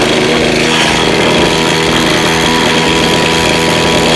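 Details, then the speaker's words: Lawn mower that is hard to start: a loud, buzzy two-stroke roar with a choppy, uneven beat that never settles; running rough, cause not yet known. "Máy cắt cỏ hướng dẫn sửa chữa khó nổ không đều"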